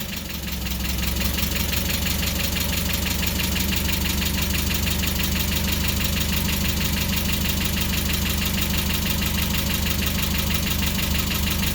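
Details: Mazda Miata just restarted after the intake was completed and fittings tightened, supercharger belt pulley not yet fitted: steady, even idle with a low rumble, slightly low, no knocking or pulley rattle. Normal idle.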